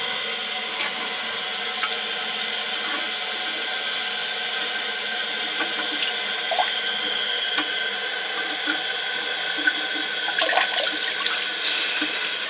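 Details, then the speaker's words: Toilet with running-water complaint, flapper just replaced: steady hiss and trickle into the bowl that never shuts off; new flapper not sealing well, leaking by a little; another style to be fitted. "I'm gonna have to put a different type of flap on there I see that one's not sealing so well I'll put one different style no seems like it's leaking by a little bit"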